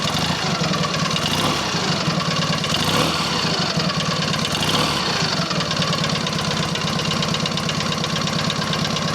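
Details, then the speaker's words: Rebuilt Matchless G11 twin, tick-over dropped, oil returning to tank, before road test: steady, even thumping idle with no knocks or rattles; normal idle. "it's quite quiet we can just drop the tick over down a bit now"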